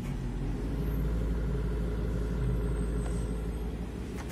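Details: Daewoo microwave oven (door switches/misalignment fault), second 10-second run confirming the marked stirrer fan rotates: steady, even low hum with no scraping, grinding or clicking; running normally.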